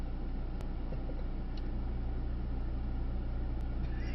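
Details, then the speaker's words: Mercedes-AMG C63S E-Performance W206 four-cylinder at slow tick-over during a track drive: even, low four-cylinder thrum with no misses or knocks rather than a V8 rumble; healthy idle. "But see, you listen to it now, it's that kind of four-cylinder thing. It's not a rumble, is"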